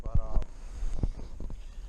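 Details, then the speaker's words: 1989 Kawasaki KX250 two-stroke, rod rocked up and down by hand on the crank, a few dull irregular thuds; worn big-end bearing and pin play shedding ground-up metal, crank rod being replaced. "hear that thud it's actually the rod moving up and down not left and right but up and down"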